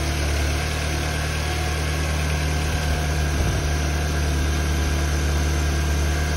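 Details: 2005 VW Beetle (P0455 gross EVAP leak) after replacing faulty fuel pump and its faulty gasket: steady, even idle hum with low throb, no knocks, misses or surging; fuel pressure in spec, runs better, still rich.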